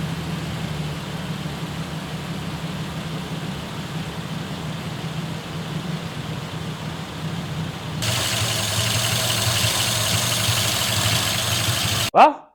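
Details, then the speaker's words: 1941 Lincoln Continental convertible V12 idling just after its first start on arrival; steady, even low idle with no knocks or misses, a touch louder after a few seconds; sounds pretty good, a little smoky, rings possibly to be checked. "anyway the old Lincoln sounds pretty good A little smoky but you know what that's nothing to set a Rings or we'll look at it hadn't"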